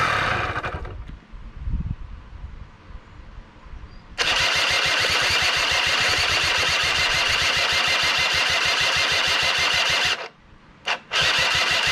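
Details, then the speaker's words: Honda Spree two-stroke scooter (probably 1984 engine, 1987 frame) after starter and bendix replacement fixed hard cranking: cranks, catches to buzzy fast-pulsing idle about six seconds, cuts out, sputters, stalls; carb not getting fuel suspected; stalling at idle. "uh well fix the starting now we just got a carb not getting fuel problem so go ahead and work on that next"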